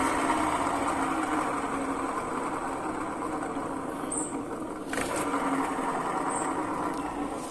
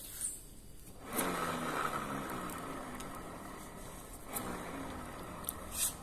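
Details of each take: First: Honda Vario 125 LED New scooter CVT: very rough, gritty rasp over the engine note that grows louder as revs rise; problem located at the rear of the CVT, worn driven (rear) pulley bearing causing the grinding. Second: Honda Vario 125 LED New scooter with rough grinding CVT noise worsening with speed; rear wheel spun by hand with rear pulley removed gives a soft, even whir, showing gearbox and final drive bearings are smooth and undamaged; noise traced to rear pulley.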